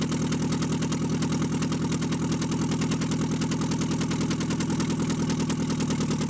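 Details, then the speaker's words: Mitsubishi Eclipse engine after fixing cylinder 2 not firing, now running on all four: steady idle with a faint regular tap over it; owner suspects a light rod knock, not confirmed. "okay so it sounds like she's running on all four um to be honest it sounded like a little a ride knockish i'm not gonna lie"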